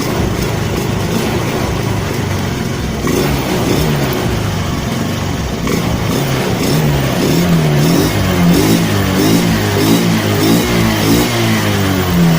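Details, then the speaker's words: Honda Spacy carburettor scooter after carb service trimming the slide vacuum part, fixing hesitation on initial throttle: engine picks up cleanly each throttle opening, revving smoothly up and back without bog; slide working normally. "ya Oke skep sudahudah mulai bekerja ya bekerja normal sesuai dengan e bukaan yang kita gas ya guys ya"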